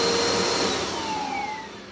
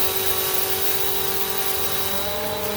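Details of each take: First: 2017 Bissell Powerforce Compact 2112 vacuum after brush roll bearing swap: steady motor roar with thin whistling tones sliding in pitch as it spins down, not from the brush roll; air leak whistle. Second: 2017 Bissell Powerforce Compact 2112 refurbished curb find, after brushroll bearing work and filter assembly adjustment for a wind-down howl, running on pile carpet: steady motor whine and even brush hum, no rubbing or grinding, healthy.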